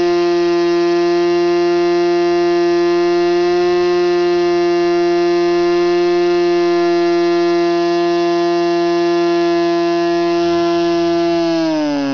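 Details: Norvel .061 RC model engine converted to diesel with a custom diesel head, 8x4 Cox grey prop: high steady buzz holding even pitch, dipping slightly at the end; smooth normal running.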